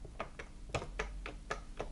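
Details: Chaika sewing machine (Podolsk Mechanical Plant, model 142), turned over: sharp even ticking about four per second; worn connecting rod head has about 0.5 mm free play on the shaft, connecting rod knock, causing skipped zigzag stitches.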